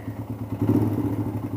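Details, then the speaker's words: DR motorcycle losing power (top speed dropped from 60 to 45-50), poor idle, weak exhaust: rapid uneven chuffing over weak single-cylinder beat, crankcase opened venting like a second exhaust pipe despite breather; excessive crankcase blow-by. "I don't know if you can hear that there's massive loba and literally got a second exhaust pipe coming out of here there"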